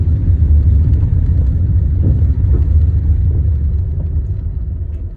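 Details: Fiat Linea engine: low rumble with faint irregular knocks at roughly four per second; strange knock of unknown origin inside the engine.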